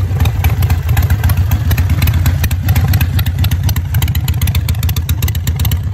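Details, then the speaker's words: Harley-Davidson V-twin with a manual idle air control valve replacing the factory IAC, rpm dropped low; deep loping thump around nine hundred rpm, steady and even, no misses. "I'm going to fire up the bike and uh drop the RPMs down so you guys can hear it"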